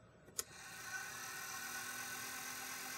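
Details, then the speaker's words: Celestron telescope clock drive motor at power-up, microphone by the motor, after cleaning contacts; quiet steady fast whir with LED blinking, then slowing by itself as programmed, no grinding; normal motor spin-up. "you can hear it's going pretty fast. And it's blinking, but I'm hoping that it will stop very soon or it'll slow down. There it goes, it did slow down all by itself."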